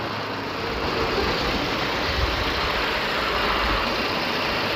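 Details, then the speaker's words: Car with overheating complaint, running hot in traffic and cooling at speed, used replacement engine fitted 2-3 months earlier: steady, even idle with no knock, tick or misfire; no coolant pressurising, so warped head/head gasket unlikely; radiator seepage found. "ถ้าเป็นอาการของเอ่อฝาสูบโก่งหรือว่าปะเก็นฝาสูบรั่วนะอาจารย์ก็น่าจะเป็นน้ำดันแต่คันนี้น้ำไม่ดันน่ะสตาร์ทเครื่องก็ก็ปกตินี่อยู่นะครับ"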